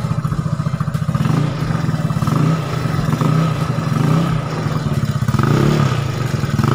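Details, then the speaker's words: Yamaha Nouvo with stock carburetor jets, just after valve clearance adjustment and before a planned bore-up and CVT upgrade: even single-cylinder beat rising and falling with throttle, only a faint tick; healthy running. "Nah suaranya Lur ini setelan klepnya habis nggak begitu kencang karena habis dipecok-pecek atau habis di endrayani"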